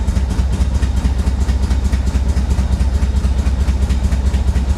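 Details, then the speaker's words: C4 Chevrolet Corvette from Florida swamp, first start after sitting, firing order checked correct: lumpy pulsing idle about twice a second with clatter, tends to die; owner suspects timing off; rough idle. "boy it just sounds like the timing is off or"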